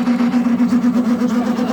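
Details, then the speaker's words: Narrowboat diesel heater hot-water system, freshly filled header tank: strained buzzing hum with uneven, wavering rhythm as the circulation pump labours; air still in the coolant system, pump believed pumping air. "basically there's still air in the system and it doesn't like the air and that noise that sounds a bit crazy is the pump pumping air"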